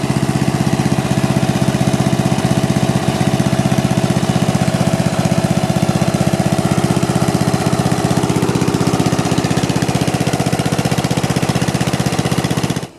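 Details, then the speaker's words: Snapper rear engine rider, 12 hp Briggs & Stratton single-cylinder, first run after ring gear and starter gears replaced: chugs fast and fairly steady with occasional skipped beats, rough running; suspected spark problem, owner plans to fit the correct magneto. "well what do you know it got started um it was running pretty rough it sounds like uh it sounds like a spark problem still so i'd like to still replace uh the magneto get the correct one for it and make sure that's the problem"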